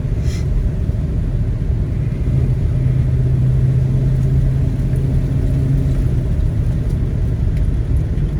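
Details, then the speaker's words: Buick estate car revived after long storage (likely just lacked fuel): steady, low engine drone pulling evenly through all the gears with smooth acceleration and no hesitation, stumble or surging. "nice smooth acceleration again doesn't have any hesitation"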